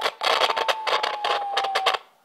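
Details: HamCan transceiver first power-up, heard via amplified speaker: beat note around 800 Hz wandering and sagging in pitch about two seconds with crackly bursts; transmit about 2.5 kHz off nominal crystal frequency, warbly and drifting severely.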